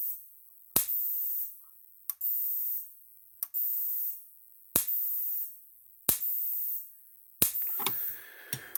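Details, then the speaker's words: Maxim M5-50 electric fence energizer during repair, turned on: sharp crisp snaps about every 1.3 seconds with quiet between, clicking as it should; expected output six to seven thousand volts or higher, normal pulse. "turn it on now let's clicking like it's supposed to"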